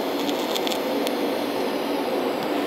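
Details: Eastwood Digital TIG 200 brazing unused ports of a 1939 Ford flathead radiator closed with silicon bronze wire; steady hissing arc with faint buzz and a few crackles, a normal stable arc.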